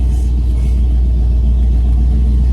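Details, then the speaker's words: Restored Pontiac Firebird on its first test drive, before repair: a constant deep, grumbly growl from the rear while cruising, unchanged under hard acceleration, so ring-and-pinion is doubted; suspected worn rear axle bearing. "You'll hear a little grumbly noise from the back of the car. You hear it. I don't know if it really picks up on the camera or not, but I just need your professional opinion of what you think it might be."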